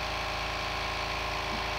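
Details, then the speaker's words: New 1 hp compressor, 8-gallon steel tank, first fill, tank just over 100 to 105 psi: steady fast-pulsing motor drone with hissy top end, even throughout; filling its tank normally. "over a hundred actually now 105 since filling up pretty quick for a one-horsepower into an 8 gallon tank"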